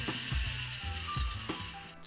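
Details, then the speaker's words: WPL D12 RC truck, stock, before the fix: the combo receiver/speed controller drives the motor with 250 Hz PWM, so the motor acts as a speaker. Short drive bursts with a thin steady buzz over gear chatter. Remedy: LC filter (capacitors plus inductor). "The speed controller has a PWM regulator in order to power the motor. The motor is acting as a speaker and so you hear the 250 Hz."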